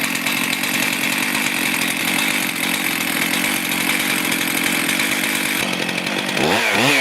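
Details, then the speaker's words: Stihl MS441 chainsaw that had over-revved and would not idle, after tightening loose cylinder bolts with blue Loctite: steady, even two-stroke idle with no surging or runaway revs. "So, I'm just going to start it up and let it idle to show you that it idles properly."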